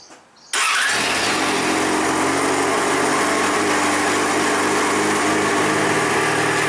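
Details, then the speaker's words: Yamaha XJ6 Diversion F after 3,000-mile oil and filter change: quick catch after short crank, then smooth, steady idle holding its speed with no knocks or misses; started to warm new oil before checking level, healthy. "So next thing is, let's start it up, warm up the new oil, and then we can start testing the levels."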